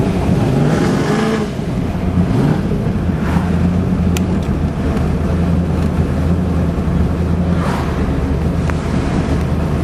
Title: Misfire/stumble